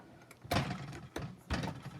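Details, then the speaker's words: Lubri-sizer with lube reservoir pressure cranked up, sizing hard bullets: two smooth press strokes finishing cleanly with no grab or pop at the end, getting easier as pressure takes over. "No grab or pop at the end. And as that pressure takes over, it's going to get easier. It's getting easier."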